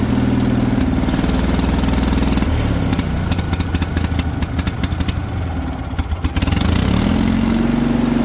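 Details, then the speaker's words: Kohler pancake twin on a three-wheeled street sweeper, revived after over 20 years sitting, with a fuel pump that would not work properly: putters, sags and stumbles midway, then picks back up; unsteady running from fuel starvation. "fuel pump would not work. I'm keeping quiet here, guys. You can appreciate the sound of this thing come to life first time again. And even though that little demon would let it run consistently, I'm still pretty darn happy with it at this point in time."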